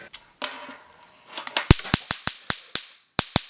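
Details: Homemade DIY taser after switching to newer batteries: sharp loud cracking snaps, about ten in under four seconds at uneven spacing; strong, healthy high-voltage arc firing properly.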